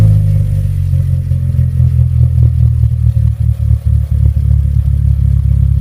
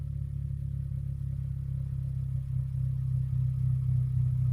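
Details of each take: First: 2013 Hyundai Elantra GT with chambered muffler installed in place of a straight pipe: deep, even exhaust drone holding steady, then a quick blip of revs near the end; a smooth, healthy run. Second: 2013 Hyundai Elantra GT, chambered muffler fitted in place of straight pipe: deep steady exhaust drone swelling slightly with revs, still quite loud; muffler only takes away some sharpness.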